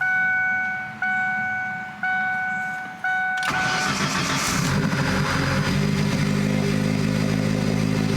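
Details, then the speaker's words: SVT Focus Mk1 just after installing a CPT cold air intake, started in neutral. Four chimes, then cranks, catches and settles to steady idle with airy intake sucking noise; owner reports no valve cover leak, normal idle. "Intake noise. You can hear it sucking in the corner."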